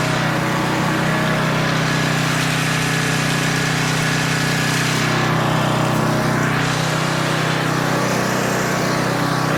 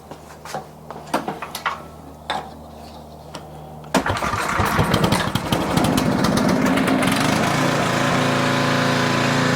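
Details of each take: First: Older 10 hp Tecumseh 4,000 W generator under a 1,500 W load, running at about 62.4 Hz: constant, even drone with steady pitch, no dip, sag or hunting; normal governed run under load, speed slightly high. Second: Older Tecumseh 4,000 W generator with adjustable main jet on the carburetor: starts after a few clicks, then engine speed hunts up and down. Surging from too lean a mixture; to be richened.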